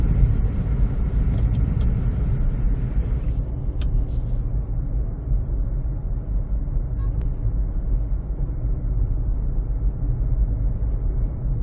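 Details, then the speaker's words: 2007 Honda CR-V (third generation) after replacing tires that had flat spots and cupping: steady, even low road rumble with no rhythmic wub-wub or hum, normal tire noise, the earlier noise gone. "okay now the tires have been replaced and uh I feel that definitely there's a big Improvement and the sound is gone"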